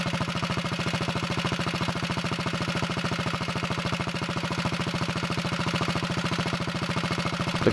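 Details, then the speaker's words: Early 1961 Wheel Horse model 401 garden tractor single-cylinder engine running on first start-up, no choke, throttle near wide open: steady, even firing with no misses; runs well, smokes a little when given gas. "that sounds pretty good i'm gonna move the camera so you can see it smokes a little when you give it gas sometimes those things clear up when you run it some"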